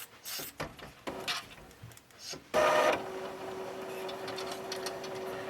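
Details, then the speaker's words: Epson ET-2710 scanner, disassembled, lights still flashing: clicks and bumps, then a steady mid-pitched motor whine as the carriage keeps pushing trying to reset; owner suspects a sensor, unconfirmed. "so how does this thing detect that it's gone back under but that's what it does it makes that weing sound"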